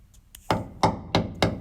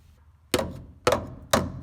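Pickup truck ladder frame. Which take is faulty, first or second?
second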